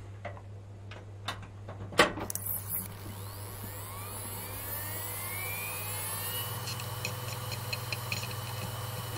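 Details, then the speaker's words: Hard drive powered up with the system; a few clicks then smooth whir rising in pitch to an even hum as drive spins up and initializes: normal spin-up. "you all have heard this drive spin up and initialize itself"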